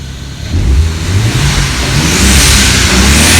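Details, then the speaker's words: BMW E36 with N54 swap, free-revving stationary after almost a minute running: revs climb hard and a loud airy whoosh as blow-off valves vent, still making boost; moments later it drops into reduced-power fail-safe, owner suspects DME/CAS coding mismatch (0x2FA4 code). "See, you can kind of hear the blow-off valves kicking off, so that's good. That means that the engine is working properly."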